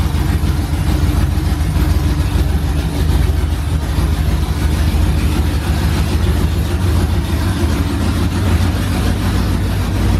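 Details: OBS truck V8 finally running after fixes, straight headers, first fire-up in the morning: loud, deep, steady burble with an even beat and no stumble. Running fine and idling as it's supposed to.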